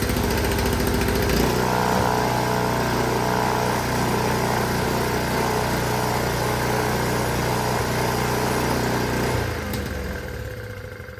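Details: Honda HS 520 single-stage snowblower, partly reassembled, killed by choking; small single-cylinder fires and runs steady and even, then chokes out; healthy running.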